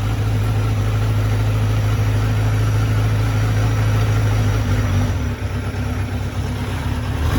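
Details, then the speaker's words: 2003 Kawasaki Z1000, fuel-injected, 3,000 km, cold start at 25-30°C ambient, starting to warm: uneven, lumpy loping idle steadying slightly with revs; cylinder #3 misfiring/dead for the first minute, cause not yet diagnosed. "you can tell this is not that exhaust tone is not right there's definitely something missing here"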